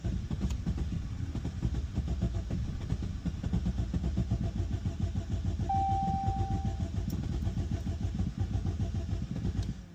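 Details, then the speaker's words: 2016 Jeep Cherokee Latitude, overheating from very low coolant: extended cranking with rough uneven pulsing as engine struggles to start; stored and pending codes show cylinder misfire, cold start, rough idle. "Why it's struggling to turn on? I think this vehicle has more problems than I was led to, but let's try it again."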